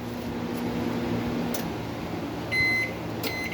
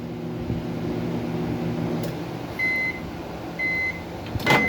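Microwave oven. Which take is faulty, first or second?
second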